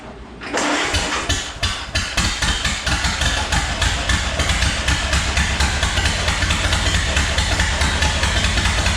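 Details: 1929 Ford Model A chassis engine after fitting distributor cap and rotor; brief crank, fires quickly, steady even chuff at idle, no misses; water pump not spinning due to worn belt; normal start and run.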